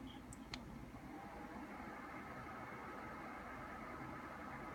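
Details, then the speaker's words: Brand-new Dyson Pure Cool Link Tower air purifier fan at speed level 4, recorded about 1 foot away on an iPhone: gentle airy whoosh with a low steady hum like a low air conditioner, no ticking or wobble; normal. "okay and at level four it's the first time you can actually hear it it sounds a little bit like well you can hear it it sounds a little bit like an air conditioning unit on low"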